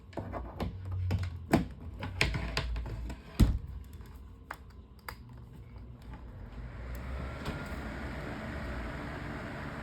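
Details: Electric fan after replacing damaged blade and fitting blade cover and grill, test run: clicks and knocks at switch-on, then smooth even airy rush with no wobble, thump or rattle; normal running.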